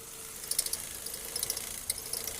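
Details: Running engine: quick clusters of high, dry chirps from the accessory belt slipping; splashing water on the belt stops the noise, confirming the belt.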